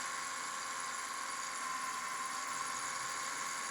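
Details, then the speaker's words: 2011 Subaru Impreza at idle, heard via stethoscope at the belt pulleys: steady rough whirring near 1 kHz, loud; suspected worn idler pulley bearing, not confirmed. "we're still going to take off the belt and spin the pulleys and you will hear the bearing on those pulleys anyways i'm hearing a lot of noises already there you go super loud right there definitely"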